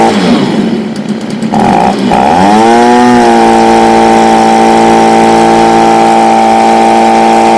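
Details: Stihl BG55 two-stroke leaf blower, formerly no-start, with new C1Q-S68G carburetor replacing a torn-diaphragm carb: pull start, then high steady buzz that climbs, eases slightly and holds evenly; runs clean, only carb tweaking remaining.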